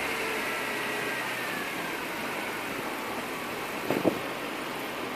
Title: BMW E36 M3 Evo 3.2 Rough Idle Hunting Tickover